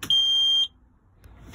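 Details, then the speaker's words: Hobby caravan bathroom button switched on: one sharp high-pitched beep about half a second, then near silence; the owner is unsure what its wired mechanism does. Normal control mechanism beep. "strange noise but then i realize it's this uh little mechanism here"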